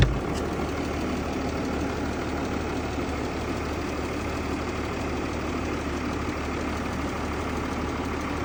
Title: Стук om656 g class (knocking/noise)